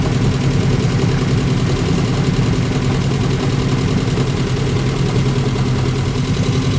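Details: 1994 Subaru Legacy 2.2L flat-four starting after a new fuel pump, radiator, headers and thermostat: a steady, even low rumble with no misses, knocks or ticks as it warms up. This is a normal idle.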